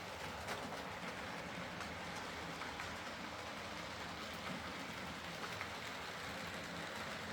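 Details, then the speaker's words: Hornby R2959 Thompson L1 2-6-4T in BR apple green, running on the layout after greasing the worm gear: quiet, even rolling with light track clicks, no grinding. Earlier forward grinding came from the double gear lifting against the worm through gearbox play; now normal running. "Uh, a spot of grease on the worm gear solved the problem thankfully. And it's uh it's a very nice runner now."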